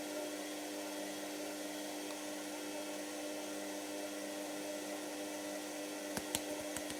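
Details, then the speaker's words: Washer, now working: steady low motor hum, even whirr, a few light clicks near the end; normal operation. "Yes, come on. This is working. Oh, we've got a nice working machine again."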